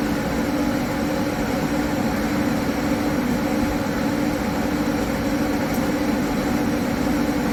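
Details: High-mileage Harley-Davidson V-twin with S&S 129 Power Plus kit, big injectors and kit cam, on dyno after tuning: loud, steady high-revving drone at constant speed, even and clean, no misses or rattles; normal, 136 hp, 154 ft-lb.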